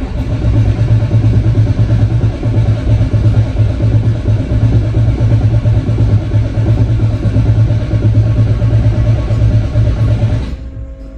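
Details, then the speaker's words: Chevrolet Silverado diesel after replacing injector lines: steady rhythmic cranking about ten seconds without firing; air in fuel system, filter empty, fuel not being drawn, owner suspects diesel flowing back and may need a check valve. "bom ó o barulho tá mudando eu acho que às vezes eu vou ter que pôr uma válvula de retenção quer ver eu vou desligar é como se o se o diesel voltasse"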